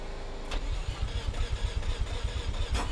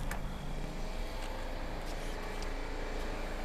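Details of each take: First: Mazda FC RX-7 rotary, after fuel tank reconditioning, reversing swapped fuel lines and priming. It cranks and catches quickly, then settles into a loud, lumpy but steady idle with even low pulses: normal start and idle. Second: Mazda FC RX-7 rotary with a reconditioned fuel tank and fuel lines possibly hooked up reversed: low steady churning as the starter turns the engine over with no firing. It cranks but won't start, with reversed fuel lines suspected.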